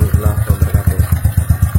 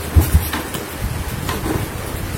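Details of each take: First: Carbureted motorcycle after repairing the leaking intake manifold, idle screw setting unchanged: low, even thumps about eight a second, holding a steady idle with no hunting; idle back to normal. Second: Carbureted motorcycle that won't idle: uneven, lumpy idle that pulses and wavers and needs a little throttle to keep running, caused by an air leak past a cracked carburetor intake insulator; idle screw setting was already correct.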